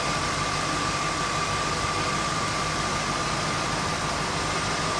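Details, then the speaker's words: 1968 Shelby GT350 convertible, blueprint-rebuilt 302 J-code V8 idling at about 750 rpm: steady, even hum with no valve train noise or low knock; a very smooth-running engine. "It's idling very smoothly. You hear no valve train noise at all, no kind of low engine knock, anything like that. It's a very, very smooth running 302 J-code motor."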